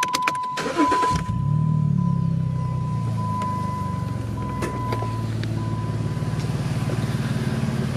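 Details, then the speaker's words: Jeep 3.6 all-wheel drive with a loud exhaust, sold as needing a new engine: catches quickly and settles into a steady, even idle with a deep exhaust pulse, no knocks or misses; sounds healthy. "that sound like something that needs an engine to you so her son posted the ad for her why he said it needs a new engine I have no clue"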